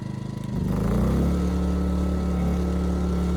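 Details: Ryobi RYI2300 inverter generator, 15 months old, after fix: stalling under heavy load solved by turning the easy-start knob further. Catches in about half a second, then holds a smooth steady low drone under load without surging or stalling.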